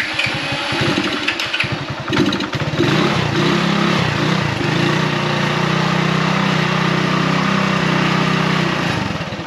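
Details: Motorbike "Vera" with a dead battery, started with boost from a Topdon Jump Surge JS2000 jump starter: quick even starter chatter for about two seconds, then it catches and settles into a steady smooth idle. A healthy start.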